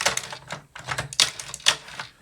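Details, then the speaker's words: Echomerx heat tape dispenser cutting 2.5 mil Cricut heat tape: crisp clicks about four a second as the knob turns, blade popping through the tape, slight hesitation from tape thickness; working normally. "I can definitely hear the popping sound or the clunking sound of that. That means just the blade is cutting into the tapes."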